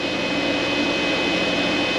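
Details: Vtoman Jump 1800 LiFePO4 power station running coffee maker and microwave, pulling about 1560-1569 W of 1800 W: steady rushing fan whoosh with faint constant whistle, no pulsing or rattle; cooling fan normal under load.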